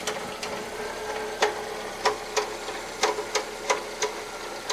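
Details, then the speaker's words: Car with an engine warning light on and an oil change due: sharp, irregular ticking knock about 1.5 per second over a faint engine hum, plus reported misfire; cause unknown. "O carro tá fazendo barulho no motor."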